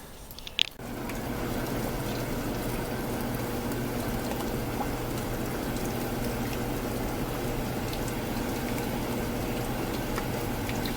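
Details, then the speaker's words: Evaporative (swamp) cooler after replacing the pulley-side pillow block bearings that had been squealing: smooth steady hum with water trickling and the pump washing, no squeal or bearing growl, running healthy. "are called pillow block bearings it sounds good"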